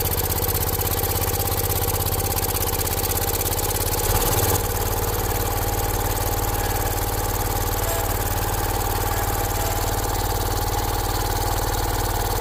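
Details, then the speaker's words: John Deere 314 garden tractor, older, maybe '80s, with a rebuilt Kohler K321 single-cylinder, warmed up after burning off old oil, still some smoke: even idle, briefly changing pitch then settling, with no knocks or misses; sounds healthy. "Well, after it ran here for a little bit and warmed up, it looks like it burned all that old oil off. Still some smoking going on up here. Uh that was all pretty wet with oil, but sounded good."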